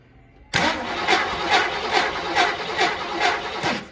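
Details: 1958 Studebaker Golden Hawk, throttle pumped several times: the starter turns evenly with no firing. It has fuel but the carburetor bowl won't prime due to a stuck needle and seat.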